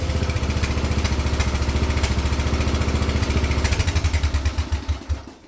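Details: Wheel Horse 211-5 small engine: thumps along at a steady, even beat with no stumbling, then dies away smoothly when switched off; running fine.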